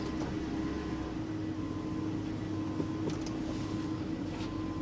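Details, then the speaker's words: 2007 Mercedes GL450, about 121,000 miles, at an auction lot, with an air suspension warning: quiet, even hum with a steady low tone and no knocks, ticks or misses; a smooth, healthy idle. "but listen to this you sound good she really does"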